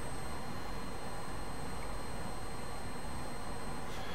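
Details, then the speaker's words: Brymen BM235 (EEVBlog) multimeter with backlight on, held near camera; steady, very high-pitched whine over faint hiss, pitch changing after switch-on then steadying; whine attributed to the backlight. "don't notice it after a while but that's very high pitched and uh very noticeable clear"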